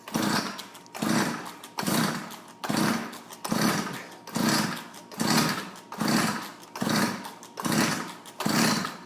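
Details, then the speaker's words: Tecumseh TC300 two-stroke on an Eskimo ice auger, just fitted with new piston rings at just under 90 psi compression: with choke off and idle bumped up it revs and dies about once a second, won't hold idle; carb tuning suspected. "i'm gonna bump the idle up a bit see if that get it to idle so [Music] [Music] yeah it doesn't like with the choke all the way off it could be a carb tuning issue though too right"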